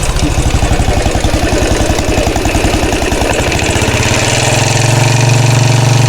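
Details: 2013 Royal Enfield Classic 500 single-cylinder at idle after engine teardown and rebuild, oil level okay, decompressor noise gone: thump with a rattle swelling and fading about twice a second; source unknown, checked with a screwdriver as stethoscope.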